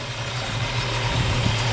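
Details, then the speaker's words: 1965 Ford Mustang, fresh rebuilt 289 V8 with 4-barrel carburetor, Pertronix ignition, dual exhaust, heard at rear: deep smooth burble with even exhaust pulse, no knocks or misses; healthy idle. "Like I said, with the dual exhaust, it sounds good too out the back. Got a little wrap to it, you know. Yeah, it sounds good."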